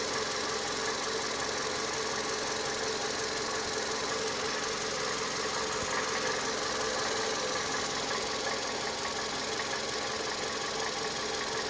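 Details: Toyota 2AZ-FE engine at idle: steady idle with a light metallic tapping about three times a second over the engine note; knock whose cause needs further checking.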